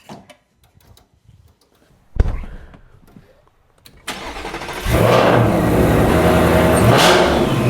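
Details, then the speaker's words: Super Snake V8 with Stage 3 Whipple supercharger, after fitting a Whipple carbon-fiber intake and larger air filter boxes, briefly warmed: cranks, fires, revs up and back with a rising blower whine over the rumble; louder, normal supercharger whine. "I can hear the whine to the supercharger, and I can hear the intakes, the air intake filters as well. You can definitely hear more whine of the supercharger inside."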